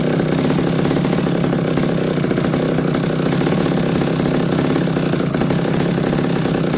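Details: McCulloch D30 vintage chainsaw after MC5 carburetor rebuild: fast, even two-stroke buzz holding a steady idle without surging or dying; idles cleanly and sounds healthy.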